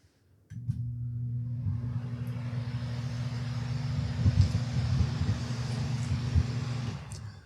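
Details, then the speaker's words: Circular fan, 3–4 month old replacement used as reference: smooth, even low hum under steady rush of air, no rattle, tick or wobble; healthy full-power running. "And that is the kind of air power we should be having."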